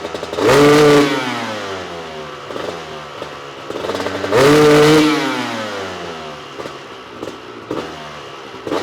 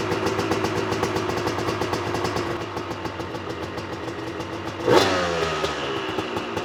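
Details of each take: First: Honda CR250 two-stroke supermoto with Mikuni carb, warmed up, after fitting a smaller 400 main jet: revs blipped half to full throttle, climbing cleanly; runs much better on top but still not crisp, further jetting planned. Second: Honda CR250 two-stroke supermoto with Mikuni carb, revved at 3/4 to full throttle: crackly, uneven pulses that sputter out near the top and won't rev, no power up top; main jet too large (rich), per owner.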